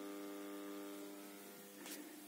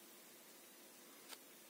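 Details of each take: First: Newly bought PC system unit with speakers connected, before grounding is attached: steady low electrical mains hum with buzzy overtones in the speakers, absent when the speakers are connected to other computers. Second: PC speakers at maximum volume after fitting a homemade mains filter (Soviet 680 µF capacitor) to the system unit: only a faint steady hiss, the mains hum gone and clean.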